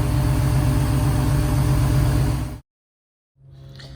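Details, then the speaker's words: 5.7 Gen 3 Hemi in a 1970 Challenger, Holley Terminator X ECU, long-tube headers and Flowmaster mufflers newly fitted, good oil pressure: steady, even V8 burble idling smoothly on its own with no misses or knocks. "And it's actually idling. It's idling on its own. That's awesome."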